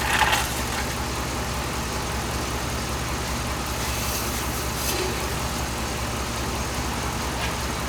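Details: 2007 Dodge Ram 5.7 HEMI V8 idling while warming up after a water pump replacement; 140°F at the thermostat, coolant still purging air, no leaks. Steady, even, smooth low rumble with no knocks, ticks or squeals. Normal idle.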